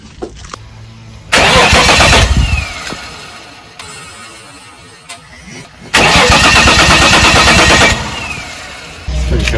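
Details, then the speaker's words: 1986 VL Commodore that sat on a farm for 20 years, first start attempt with a new battery: two bursts of even cranking, engine spins but never catches, no fuel pump hum heard; crank no start, dead fuel pump. "so did you hear a fuel pump I didn't hear a fuel pump I didn't hear a fuel pump"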